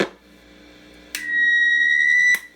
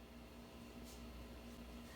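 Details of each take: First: Sears Silvertone Twin Twelve 1484 tube amp, signal tracer on a grid connection, reverb tank switch toggled; steady high squeal over faint lower whine that starts and stops with the switch; the reverb tank circuit is oscillating. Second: Sears Silvertone Twin Twelve 1484 tube amp with all tubes running after a resolder fixed its noise, camera pressed to the speaker: only a faint low steady hum under soft hiss, no crackle or buzz; the amp is quiet.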